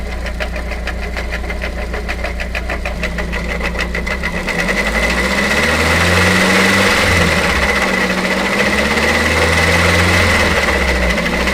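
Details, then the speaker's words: Dongfeng C37 minivan engine idling with the accessory belt on: rapid, fairly even knocking about three per second over the idle, with water splashing there when revved; failing water pump bearing. "y estimados amigos como pueden observar el sonido ha desaparecido lo que me indica que algún componente que es movido por la banda de transmisión del alternador se encuentra defectuoso"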